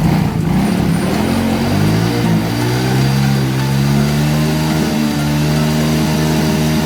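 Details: Yamaha Mio Soul GT that had overcharging at 15 V with error code 46, now with a spare regulator rectifier fitted and the code cleared; engine note climbs evenly with no misses or surging. It revs cleanly.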